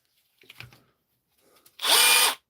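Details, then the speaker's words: DeWalt DCH273 SDS drill, brought in for not hammering, tested after repair in ordinary drill mode: short, smooth high-pitched whir with no pounding underneath, as expected. "Is that chisel or is that drill? That's ordinary drill."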